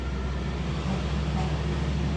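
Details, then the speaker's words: Two-door refrigerator not cooling after compressor stopped due to power outage, after repair: compressor restarts with a steady, even low hum, no knocking or rattle; current dropped from 3–4 A to normal 0.86–0.9 A. "Nah, ini sudah jalan. Ini kompresornya sudah jalan. Di sini 1 ampere, 0,9 sudah."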